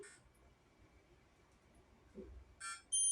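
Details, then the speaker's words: HP 15-BW laptop with no power, multimeter in diode/continuity mode across the current-sensing resistor: sudden steady high continuous beep after quiet probing, showing a short, caused by shorted capacitors that need replacing. "මේ resistor එක short ද කියලා බලමු. short නම් beep sound එක ඇහෙන්න ඕනි. diode mode එකේදී."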